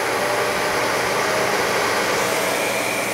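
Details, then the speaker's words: Goodman 90+ gas furnace, no-heat call with 3-blink pressure-switch code, ECM blower motor jumped out to run: steady, even rush of air ramping up, no rattle, scrape or bearing whine; normal blower operation. "the ecm motor ramping up i just jumped it out down here to get it to run but she is running now"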